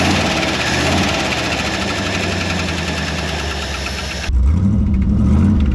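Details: Early-1960s Ford F100 unibody shortbed, first start after 25+ years abandoned in woods: loud open-exhaust V8 idle with quick light top-end ticking; lifters a little noisy, oil pressure over 60 PSI.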